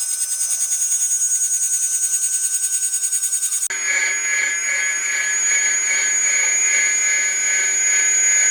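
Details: Atlas launcher gyro rotor powered with 115 V AC across terminals A and B with a 270 nF capacitor: high steady whine with fast pulsing roughness shifting to a harsher buzz; very noisy at full speed.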